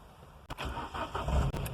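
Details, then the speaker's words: 2007 Ford Ka that was hard to start and coughed and sputtered when cold, after coolant temperature sensor replacement; jump pack attached, about 11°C outside. A short crank catches almost at once and settles straight into a smooth idle: normal cold start, fixed. "when it was cold it was difficult starting and it would start coughing sputtering and as you can see right now it started lovely so excellent i'm going to call that a fix guys"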